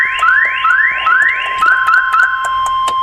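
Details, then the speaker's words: Car connected to a MoKo K12 lithium jump starter: loud rising electronic sweeps about twice a second, then a warbling tone; alarm sounding, confirming power. "so we'll hush that up so we're definitely getting power right now which is really cool"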